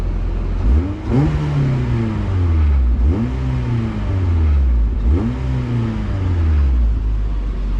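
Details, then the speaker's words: Honda B16-swapped car idling after the coolant is bled, with the heater hot, no leaks and the exhaust leak now fixed, heard from inside the car: three clean revs climb smoothly and settle back to a steady idle with no rattles or misses. "Engine sounds freaking awesome. No exhaust leak, finally. And guys, from inside the car, this thing sounds freaking amazing."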